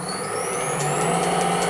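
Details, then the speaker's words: Pre-1907 Hardinge Cataract lathe on a VFD after roller vibration fix, inner bearing races no longer spinning: even hum with faint rising whine and light regular ticks, no rattling, much quieter; tracks okay, slight change in reverse. "looking good it's much more much more quiet than it was no more rattling noise going on seems to track okay in Reverse it changes a little bit but I'm okay with that"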